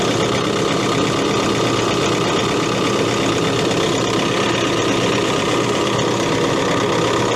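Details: Case CX80 excavator diesel, throttle set to idle: a steady, even drone with no knocking, surging or hunting; a healthy idle.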